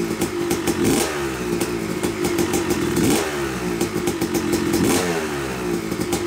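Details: Yamaha YZ250 two-stroke motocross bike (250cc/270cc) after year-long full engine rebuild (bottom end, transmission, bearings, clutch, power valve), first start-up: crisp ring-ding rising and falling cleanly with throttle blips, no rattles or misfires; break-in smoke normal; normal running after rebuild.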